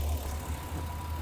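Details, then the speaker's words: 2009 Chevy Express with P0300 and four coils on one side not firing, running with 12 volts jumped directly to the coils: low, steady idle rumble, even beat, all cylinders firing; fault traced to coil supply wire or fuse panel. "Engine's firing just fine."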